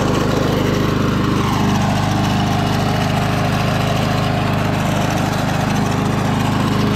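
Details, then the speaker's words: Early-1980s Snapper Series 6 six-speed self-propelled lawn mower, just run in gear three, idles with a steady, even single-cylinder putter and no misses or knocks; purring like a kitten, runs and cuts like new: normal idle. "she's purring like a kitten"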